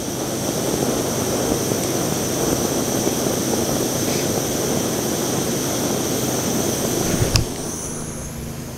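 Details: MSR WhisperLite International stove on shellite/petrol, copper pipe hot enough to vaporise the fuel and the burner glowing red: a steady, even rushing roar with no sputtering or pulsing, then a sharp cut-off; burning cleanly, fully vaporised.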